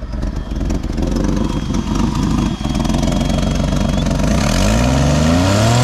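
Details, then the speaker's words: 1989 Jeep Wrangler YJ 4.2 inline six, 5-speed, carbureted, hot engine on a 90° day, started without choke or fast idle set: slightly lumpy uneven beat, revs climbing; a slight misfire remains at higher RPM. "all right we still got a little Little Miss at higher RPMs that's for sure"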